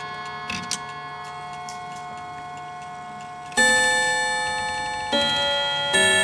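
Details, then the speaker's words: Antique Davison Bros London chiming clock: chime notes ring in clusters over the ticking, with one tone off. The chime hammers are being bent and pushed to adjust them, including the hour hammer. Hammer misadjusted. "this is how you calibrate so it sounds better so you notice it's not making any sounds anymore"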